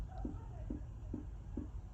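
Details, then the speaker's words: VW T5 T32 LWB van with a Webasto diesel air heater just switched on after long disuse: soft, even ticks about every 0.43 s over a quiet hum, the fuel dosing pump starting at full speed then slowing; normal. "just about hear the fuel pump knocking. They come on full speed and then they knock themselves down."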